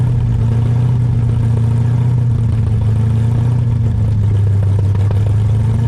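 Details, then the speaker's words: New Ford 351 Cleveland V8 in an XD ute during cam break-in: a steady, deep rumble, revs varied so deceleration beds the rings, with no ticking or knocking. Temperature and oil good, no leaks; running sweet. "This is beautiful, man. This sounds mint. It sounds good, bro."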